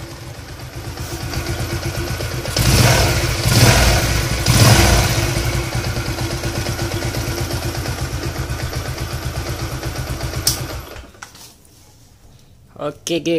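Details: Yamaha LC135 single-cylinder, warmed up, after repair for a humming, droning noise traced to the crankshaft: steady, even idle with a smooth low beat, no hum or rough knock, then shuts off; the noise is gone and the engine sounds healthy.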